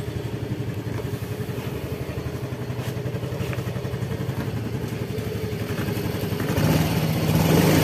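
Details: Fazzio scooter with new battery after starting failure from battery drain: even putter about four beats a second, rising smoothly as throttle opens; engine running normally.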